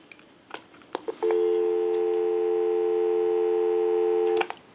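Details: TP6A military rotary desk telephone after repair, wiring connections cleaned and tightened and new modular line cord, line-out button pressed on test switch box: a couple of clicks, then clean steady two-note hum for about three seconds; normal dial tone, line working.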